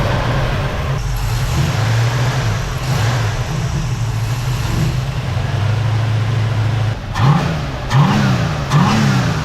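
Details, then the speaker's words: 1971 Ford Mustang convertible, 302 V8 with a rejetted Holley carb (about 80 jets), after it had been running rough and slow: steady rumble and clean quick blips with no stumble. Vacuum about 13 at idle with slight oscillation. Runs much better now. "Well, it runs a whole lot better now, so I'm good with that. Good running 302."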